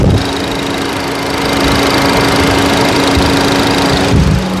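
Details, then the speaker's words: Honda City LX 2025, 1.5 four-cylinder direct-injection i-VTEC, microphone near the engine: light rapid ticking, roughly three a second, over a steady smooth idle, normal direct-injection injector noise. "tá ouvindo um um te te te tec tec tec tec é a é a injeção direta trabalhando esse barulhinho aqui tá não é como nos três cilindros né aqui esse barulhinho de tec tec tec é o trabalho da injeção direta que tem esse ruído"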